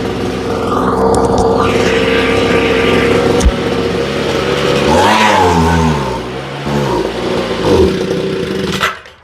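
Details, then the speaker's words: Homelite leaf blower, new fuel lines and redone carburetor, runs good then dies then stumbles: small two-stroke running slightly rich at steady pitch, wavering and sagging a few times before stalling completely. "huh everything looks okay but she just stalled completely"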